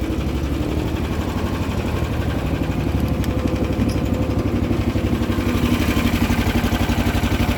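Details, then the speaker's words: Cold start at full choke with a little throttle, battery-tender-charged machine whose stuck choke was fixed; cold-blooded but starts at -10 °C. Even, steady low thumping at constant idle speed on choke, no misses or knocks; normal cold idle. "this is on a battery tender so it should start up but it is definitely cold-blooded"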